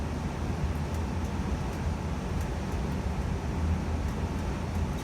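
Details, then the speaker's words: Evcon gas furnace shut off at thermostat: burners drop out and blower keeps running with steady low airy rumble, no rattles or scraping, while heat exchanger cools; normal blower run-on after shutdown. "so i just turned it off at the thermostat as you can hear the burners turned off and now the heat exchanger is cooling down and the fan will turn off very soon"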